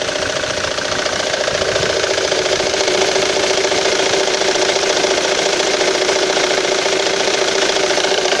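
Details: Ford Mondeo Mk3 engine at steady idle with a regular light knock of roughly three and a half beats per second riding over it; source of the knock not identified.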